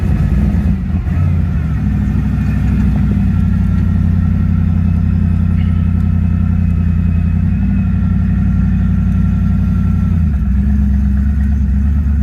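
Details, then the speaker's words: 1986 Camaro (3rd gen), off road 15 years, new fuel system, climbing a big hill: loud engine misfiring, sputtering and surging under load; runs better than before but still poorly, codes and throttle position sensor checked next. "oh that's better than it's ever ran but not as good as it should run look at that getting spitting sputters bad but it is"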